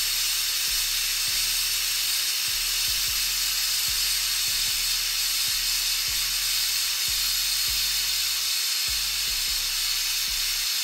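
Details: Autoclave after a tattoo-grip sterilization cycle, at about 26 minutes with power cut: the deflate valve is pulled. A very loud, steady rushing steam hiss plays with music underneath, which is a normal pressure release.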